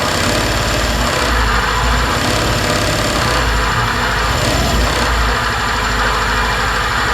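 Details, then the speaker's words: 2020 Suzuki Address 125 scooter with drivetrain removed: busy idle with rough, rattly clatter on the engine beat; unknown noise that disappears on throttle is confirmed coming from the engine, not the drivetrain. "Sau khi tháo bộ phận truyền động và khởi động máy kiểm tra thì xác định có tiếng ồn phát ra từ động cơ."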